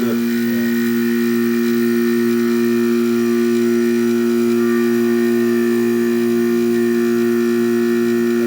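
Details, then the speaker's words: Vintage 25,000 BTU king-sized Gibson-Kenmore air conditioner with a Copeland compressor, under test: smooth, constant low hum with steady tone and no rattles or clicks; the compressor runs surprisingly quietly and healthy. "oh hang on let's hear that Copeland holy [ __ ] it's quiet"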